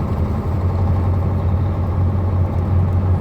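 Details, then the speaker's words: KamAZ truck diesel after replacing the injector: steady low drone with an even deep beat and no knock; the knock is gone and the engine runs normally. "Ну, короче говоря, друзья, форсунку поменял и стука не стало."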